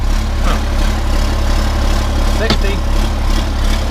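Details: 1991 Ford F350 with swapped CAT 3126 diesel, after new oil pump install to fix hard starting, first start before test drive: steady, even idle with low rumble, no stumbling or knocking; runs smoothly.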